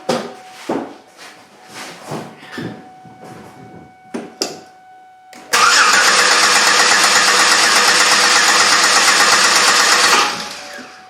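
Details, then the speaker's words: 2003 Chevrolet Impala 3.4L with flashing engine light and P0300 misfire: clear-flood crank test with the pedal held to the floor, about five seconds of steady, even cranking; all cylinders sound the same, no low-compression cylinder. "so i don't hear anything there everything sounds pretty good"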